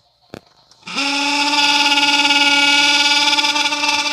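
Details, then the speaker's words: Mitsubishi Minicab U62T kei truck heater, switched on: steady buzzy hum that climbs and holds with a fast wavering flutter; the noise comes from the blower fan motor, which needs replacing. "はいえ先日ねえあげましたU62Tのエアコンのイオヒーターのイオこれやっぱブロアーモーターでしたちょっとスイッチ入れてみ"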